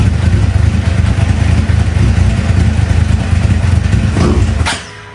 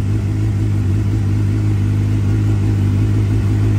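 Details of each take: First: 2009 Suzuki GSX-R 750 that idled poorly and died on throttle; after new spark plugs and ignition coils it stays running but the four-cylinder idle is uneven and lumpy, stumbling and surging; rough running, cause unclear. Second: 2009 Suzuki GSXR 750 after new coils, spark plugs and fuel pump service, previously idling poorly and dying: smooth, steady four-cylinder note, even revs, no stumble or misfire.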